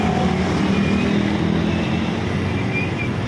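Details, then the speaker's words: Yamaha Mio 125 scooter idling smoothly and evenly after connecting rod replacement; the rough bottom-end noise is gone. "maganda na budget budget lang wala na yung gaspang perfect perfect nasa loob ang problema wala na yung ano naala yung ibang gaspang na tunog"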